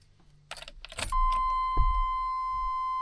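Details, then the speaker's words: 1989 Chevy K1500 new chime/key-in-ignition buzzer module plugged in near hood release, key inserted: keys rattle, then a clean steady continuous tone; key-in warning chime working. "the key's in the ignition. If you get ready to leave the truck, it would be ringing."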